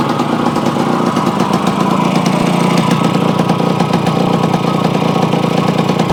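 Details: Yamaha AT-1 converted to CT-1 two-stroke, first start after rebuild with wiring done, oil pump primed, carburetor problems fixed, choke on, pre-mix plus oil pump: crisp rapid crackle at steady even pace, no knocks or rattles; normal running.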